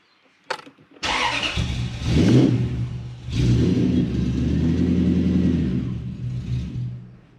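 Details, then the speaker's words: Toyota Celsior/Lexus LS400 1UZ V8 catches when started with throttle, runs unevenly, then sags and dies instead of idling. The idle stepper is suspected non-functional; airflow meter and EFI fuse faults were already fixed. Finding: blocked idle air passage. "okay so i did have to give it throttle so i should just be able to hit the go button it should start and it should idle and it is not doing that"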